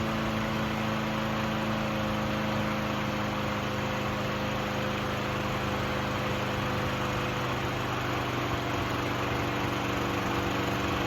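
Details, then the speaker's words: Craftsman 6.75HP self-propelled lawn mower after the fix: the throttle cable was moved to the furthest forward hole to hold the throttle wide open, since it wasn't getting enough throttle. Now it holds a steady, even single-cylinder drone at high speed with no surging or missing. "right, guys. It runs pretty good. Let me show you what I fixed here."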